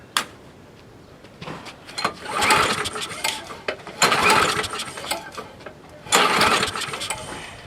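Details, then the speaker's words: Old Craftsman lawn mower found roadside, after a reused gasket: three short bursts of firing that each catch briefly and fade; it won't keep running, with another dirty spark plug that doesn't seem to spark. "Yeah, another dirty plug. And like it doesn't seem to want to spark."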